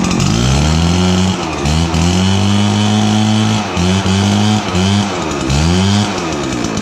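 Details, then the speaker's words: RedMax 7500/8500 backpack blower after throttle cable, choke lever, air tube and spark plug replacement: strong clean two-stroke note rises and drops smoothly with each throttle blip, better throttle response; normal running. "a lot better throttle response for sure"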